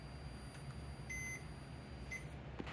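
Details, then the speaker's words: Toshiba 430CDT laptop, backlight inverter taken from another panel: a faint, steady high-pitched whine with brief higher chirps as the backlight stays on; the inverter screams because of a leaky capacitor. "So, the screaming inverter, noisy inverter symptom is caused b"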